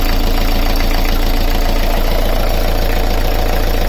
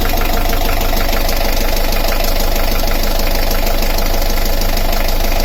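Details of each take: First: Beta Marine 38 narrowboat diesel idling after the alternator belt was removed to trace a tapping/rattle; steady smooth thrum with no noise whatsoever, so the tapping is gone with the belt off. Alternator bearing felt fine. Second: Beta Marine 38 narrowboat diesel idling with alternator belt disconnected: steady light tapping rattle still present, then abrupt shutoff; alternator is new and its bearings feel fine.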